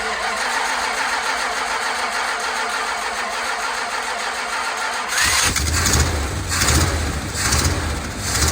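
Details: 1970 Dodge D200 truck, first start on brake cleaner as starting fluid: catches after cranking, then a lumpy, uneven idle with surges and dips; owner suspects a vacuum leak, with many vacuum hoses plugged off by screws.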